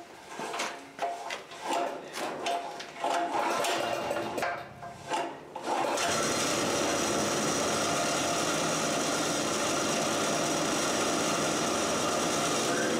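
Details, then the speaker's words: Harbor Freight 3000-watt portable generator running on gasoline after the carburetor adapter was fitted for a propane conversion: after some clattering handling, it fires and settles into a steady, even drone with no hunting or misses. Running normally. "okay so it's running on gas not that big a deal it's like swapping out a carb"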